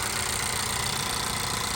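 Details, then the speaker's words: 2017 Honda Accord direct-injection engine after replacing the bad high-pressure fuel pump: even, quiet idle with a light fuel hiss and throttle blips, no rattle or vibration. "I'm gonna have my co-workers hit the gas a few times, so there's no more rattle noise."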